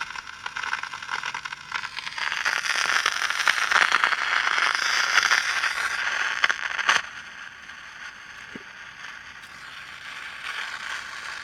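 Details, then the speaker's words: 1960 Olympic AM/FM tube tuner, dirty and poor condition, run with light bulb bypassed: loud irregular crackling and rustling swelling then dropping abruptly; suspected silver mica disease, possibly in an IF can, not confirmed. "that really sounds like bad silver Mica disease"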